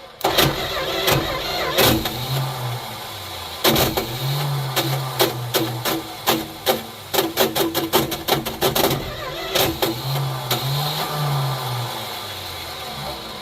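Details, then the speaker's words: 1972 Plymouth Fury I after years of neglect, new points, cap, rotor and plugs: repeated rough clattering cranking bursts, never starts; owner suspects no spark, a failing starter and possible ring-gear/torque converter damage. "I think that starter is junk. I'm not going to try it anymore because I probably already hurt the torque converter."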